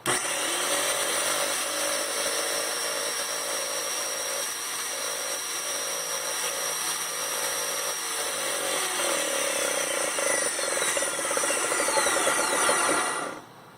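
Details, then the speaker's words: Graco Magnum X5 paint sprayer priming with valve in prime position, intake in primer, tip removed: busy mechanical chatter with quick steady pumping about three strokes a second, then cut-off; normal priming. "And then come over here to the switch and turn it on. This is going to be a little bit noisy."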